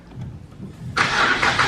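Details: Car started after the transmission was reinstalled and a disconnected starter wire was found and connected: quiet rumble, then the starter catches and the engine fires into a steady, even run with no misses.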